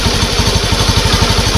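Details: Honda Beat ESP fuel-injected scooter after repair of stuttering, no throttle response and sudden stalling: damaged fuel pump rotor replaced and very dirty pump filter addressed. Even quick pulse about eleven beats a second, no missing beats or surging; normal smooth idle.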